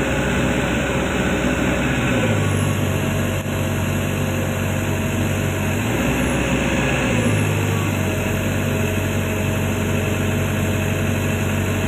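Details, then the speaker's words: Komatsu PC200-10M0CE excavator diesel, about 3000 hours, CA2249/CA559 faults, arm raised under load: drone drops in pitch and labours, pulling down instead of holding speed; rpm falls to 1400 with rail pressure about 400-456 against 800 commanded, too low. "chú ý khi dielif giảm thì vòng/phút giảm xuống 1400. RPM giảm xuống 1400 vì áp suất đường ray giảm ở 456 bạn,"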